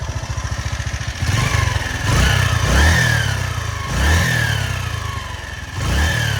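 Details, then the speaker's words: Honda CG Titan motorcycle in neutral, valves adjusted almost a year ago. Throttle blips rising and falling with a faint hollow rattle deep in the engine; owner attributes it to worn piston rings. Cause suspected, not confirmed. "Então, né, pessoal, tem barulho aí no fundo da moto aí, embarulho tipo num chocalhozinho, acelera, ali, dá uma dá uma aliviadinha, enfim, por que que acontece isso aí, né, galera? Os anéis estão gastos."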